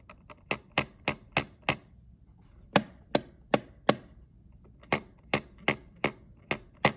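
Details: PS5 DualSense controller trigger button, mechanism itself (not adaptive trigger) lost resistance and feels looser; about fifteen sharp dry clicks in quick bunches, some lighter and looser than a normal trigger.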